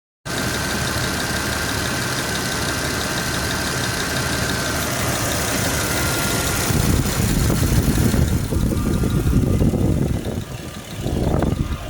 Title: Jeep wj amc 242 ticking sound